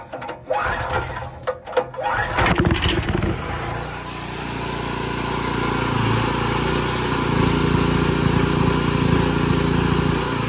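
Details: Free broken Chinese generator after fuel system repairs: a few pulls and sputters, then it catches and settles into a steady, even drone with no misses; normal start and run.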